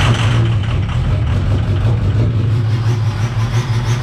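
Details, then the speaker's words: 2005 Ford 6.0 Powerstroke diesel after swapping to a 6.4 starter: heavy rumble with an uneven, lumpy pulse about three beats a second, still running rough; suspected injectors, not confirmed. "you guys can hear that justin still has a little bit of a problem it's probably injectors"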